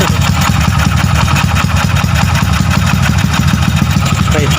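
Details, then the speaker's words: Wave 100 with 53mm block, stock cam to get 6.5 cam, ported head, lightened valve-pocket piston, freshly rebuilt: firm steady idle, even low pulses, quiet, no ticking or top-end clatter; healthy. "Yan, andar niya. Tahimik naman. Hindi mo siya parang makinilya."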